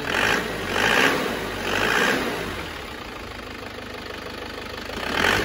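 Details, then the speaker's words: Isuzu Panther diesel, rough start after the injection pump timing, found too retarded, was advanced; heavy rhythmic knocks about once a second over a ragged idle, with the timing now judged slightly too advanced; pump fuel quantity also too low. "suar kemajuan terlalu maju dikit"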